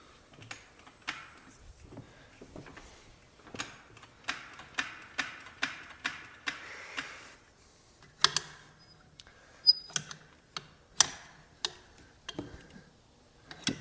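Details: 1996 Yamaha Big Bear 2WD ATV after fitting a replacement ignition switch: sharp dry clicks roughly once a second with no cranking, oil temp light comes on when start is pressed; starter clicks, no crank, cause unconfirmed.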